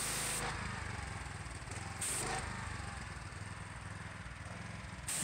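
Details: Gas power washer engine, previously rough, cutting out and low on power (a new spark plug didn't help), after the fuel line and filter were serviced: low, even drone under the spray hiss, no stumbling or surging; problem apparently solved, running properly under load.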